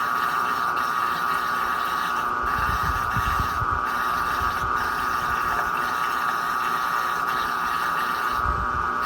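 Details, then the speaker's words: Washing machine on spin cycle with lid switch bypassed: steady loud high-pitched whine over low rumble throughout, too loud for apartment neighbours; owner suspects the motor, possibly worn motor or drum bearing, not confirmed. "isso aqui para quem tem apartamento é um horror barulho muito alto vizinho já acha ruim"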